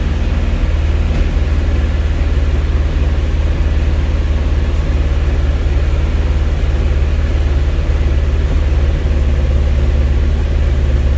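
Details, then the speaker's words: 1971 Alfa Romeo 1750 GTV, manual, still cold after sitting: a steady, deep, fast idle with no misses or knocks. The idle is held high by the cold engine and is dropping; the idle speed may need adjusting. "now the idle is going down a little bit so that gives us a little bit of an indication of the engine idle"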